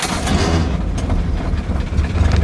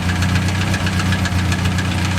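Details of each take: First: Crosley engine, started on a warm day of about 90°F: a loud starter cranks briefly, then the engine fires right up and settles into a steady, even low rumble with over 40 psi of oil pressure. Normal start. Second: Crosley engine, near-cold start on a roughly 90°F day, 40+ psi oil pressure, running on stale gas: steady low idle with a light, quick ticking riding on top, spaced with engine speed. Source of the small top-end tick not identified. Ticking noise at idle.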